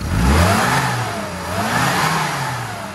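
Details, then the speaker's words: Classic Mini that ran rich, after new HT leads, BP6E plugs and advancing ignition timing that was 10 degrees off: blips up and down cleanly, smooth rise and fall with no flat spot, revving freely; previously flat. "and here that revs up perfectly now anyway what was wrong with that was the fact um that uh in terms of the um ignition we was running 10 degrees too on the timing so I've Advanced the timing"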